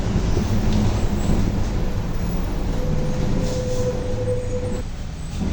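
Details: Volkswagen Torino S 17-230 OD Euro V diesel bus, under way: a steady mid-pitched hum rises over the heavy drive rumble for a couple of seconds; loud howling differential.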